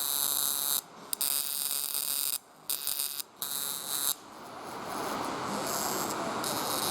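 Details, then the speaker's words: 1998 Chevy pickup V8 misfire on cylinder 2, plugs and wires already replaced: harsh, rapid buzzing crackle in bursts; spark crossfiring through a burnt track inside the distributor cap to an adjacent terminal. "so any place where the spark has a hard time trying to jump someplace it can actually burn through the cap and jump from one cylinder to the next where they're real close"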